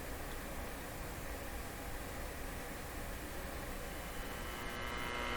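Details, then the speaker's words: Constant low buzzing hum under faint hiss, steady throughout, from an Admiral Y846 five-tube radio at first power-up; tubes operating, hum is the first fault to repair, cause not yet found. "so our first challenge is to get rid of the hum in this radio"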